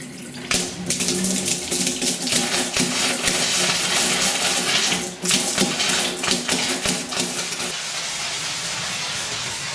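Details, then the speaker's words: Pressurized gas-heated hot water system after replacing a Zilmet expansion vessel and refilling; hot tap opened to bleed air, irregular spitting and hissing bursts as water and air cough out; trapped air sputtering from tap. "So, that now should should let uh let water out of air out of this tap. So, we'll just open this up. Yes. Get lots of lots of air out of there."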